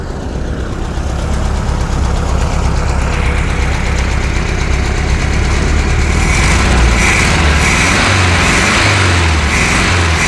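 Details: VW Beetle air-cooled flat-four tested with a timer after rebuild: idling at a steady, even pulse with a slight rise in speed; runs clean, no knock or miss; normal idle.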